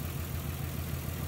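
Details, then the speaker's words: 1994-1999 Nissan Maxima at idle: low idle with a slightly lumpy, uneven beat under a steady hum, running a little funny; misfire traced to a failing ignition coil pack, one of six (three in back, three underneath). "Okay guys, what we're doing, you can hear it running a little funny. Hope you can hear it anyway. So what we're doing is checking the coil pack."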